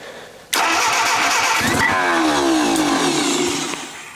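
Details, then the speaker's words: Junkyard Willys engine with a repaired head, cranked on a jump pack, grinds steadily with a few uneven pops as it tries to catch; the bellhousing is likely scraping the concrete, and it shows spark and compression but needs more fuel. "I heard life I see a little smoke the starter sounds yucky but I think that's actually the uh my jump Pack's mad at me now I think that was actually the uh little bell housing thing scraping on the concrete all right we need more [Music] fuel more fuel so that means we're getting some spark and there's some compression"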